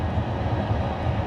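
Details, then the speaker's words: Classic Edge 750 wood boiler at start-up after annual cleaning, reaction chamber around 829°; deep, steady rumble gently rising and falling, no hiss or rattle, healthy fire in the reaction chamber. "I don't know if you can hear the rumble we'll look at the fire here in a bit but the rumble is is basically that fire"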